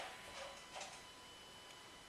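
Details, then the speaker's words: Land Rover Discovery 3.0 TDV6 after fuel filter change, ignition on engine off, heard from underneath: faint steady high whir with light clicks as the lift pump primes and purges air; normal priming. "Can hear something woring, can you? Something's woring away underneath there."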